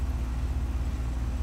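Steady low hum with no rattle, squeal or clicking; the compressor and fan are running normally.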